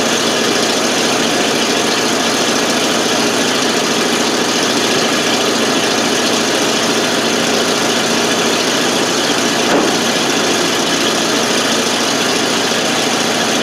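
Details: 1988 FMC 6000, 5-speed in neutral, exhaust clip after a hard start caused by no fuel reaching the carb, started with starting fluid; steady even idle on its own with raspy exhaust note, no stumbling; normal idle.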